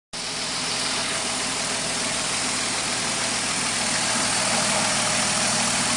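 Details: 1993 Ford Taurus SHO with manual transmission knocking at 2500 rpm: a fast, fairly regular knock of about four per second under a hissy top end, with a similar sound at idle when the clutch is pressed; the owner suspects the throwout bearing or a bad rod bearing.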